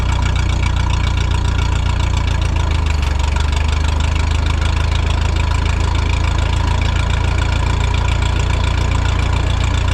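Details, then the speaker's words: Vintage Ferguson tractor ("Fergie") powering a restored Automatic Equipment mister/fogger with a new nozzle: deep, even drone settling slightly lower as the load comes on, no knocking or misfire; the load is heavier than expected, belts flop a little. Normal running under load. "Puts way more load on the tractor than I thought it would, but she's spinning all right. Let's go around this way. Looks good there, sounds good."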